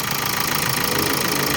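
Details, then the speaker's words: 2014 Hyundai Santa Fe CRDi diesel after timing chain components replaced to fix knocking; even diesel clatter at idle, only usual injector tick, no heavier rattle: normal diesel idle. "Hindi na siya malagatak dito. So yung tunog na yan, normal na lang yan dahil CRDI siya tapos diesel."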